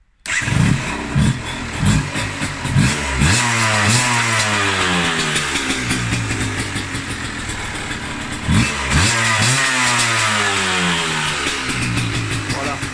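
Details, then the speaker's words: 2001 Yamaha TDR125 two-stroke with Arrow exhaust and Boyesen reeds, noted to start poorly when cold: engine catches after a short crank, then crisp revs rise and fall cleanly and settle evenly; healthy start and run. "D'origine, elle avait une ligne Arrow qui marche, qui pète, ça watt à fond, et donc on va l'allumer pour en faire entendre le bruit. Elle démarre pas très bien à froid, elle est chiante."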